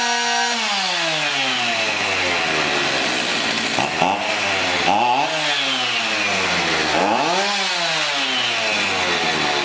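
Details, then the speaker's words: Garbage-picked chainsaw starts on choke after refuelling and refitting the throttle link. A crisp two-stroke buzz rises and falls cleanly with each throttle blip, then settles to a steady idle; it is running healthy. "fire it up fire it up we choke it again music to my ears"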